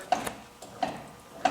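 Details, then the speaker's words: 1998 Ram 1500 4x4 (twin-turbo 5.2 Magnum), front axle shaft turned by hand in shop after excessive wheel hop: sharp dry clicks about every 0.7 seconds from a shot, worn front axle U-joint. "And as you can hear from JT in the background, the noise that are making from our front axle U-joint right there."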